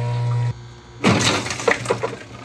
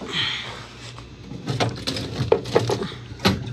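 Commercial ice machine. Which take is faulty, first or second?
first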